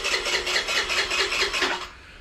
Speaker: so let's just hit the button, show you guys that it spins over now.